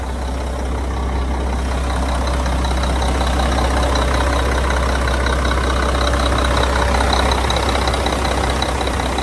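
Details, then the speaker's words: 1997 Mack RD600 cement truck diesel from auction, started after charging dead batteries: deep steady low rumble with an even beat and no misses or knocks; smooth normal idle. "Well, the batteries are basically all charged. Look at that. It runs. That's crazy."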